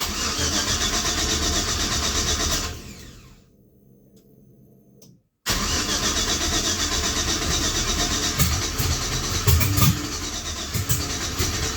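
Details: 1966 Chevrolet C10 with LS swap, after a fuel pump replacement and a new 225 psi fuel injection line, with air in the line: the starter cranks steadily at about four beats a second but it never fires; owner suspects the fuel setup and pressure bleeding in the tank.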